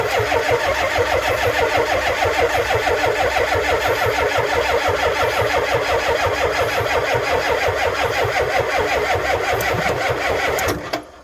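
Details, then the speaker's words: Ford F350 7.3 IDI diesel, cold, batteries charged about 30 minutes: catches and clatters unevenly about ten seconds then dies; owner suspects bad glow plugs, maybe half working, as controller clicks on and off. Hard start, stalls after starting. "She's obviously got some bad glow plugs. That glow plug controller will start clicking on and off like that if you've got bad glow plugs."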